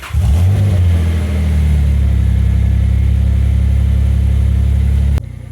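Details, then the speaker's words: Nissan Pathfinder V6 at idle after a valve cover job and replacing old spark plugs to fix a passenger-side misfire: a strong, steady, even beat with only slight roughness; no longer misfiring and running much smoother. "it's definitely not misfiring anymore and it's running way smoother"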